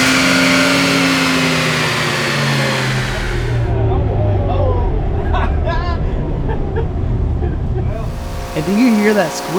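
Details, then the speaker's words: 1966 AMC Rambler American, stock 199 cubic inch straight six, on chassis dyno pull with air cleaner removed: engine pulls hard then winds down while a thin chirping squeal rides near the top; not belt slip, source never found. "it may sound a little bit like belt SLP on camera but that's not what it was we never did figure out what exactly was making that squeal but it made me not want to stand near the engine during the poles anymore"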